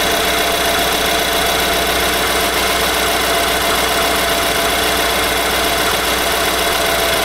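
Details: 2018 Nissan Armada gasoline V8 idling with a hard, diesel-like bottom-end engine knock, recorded before the short block was replaced.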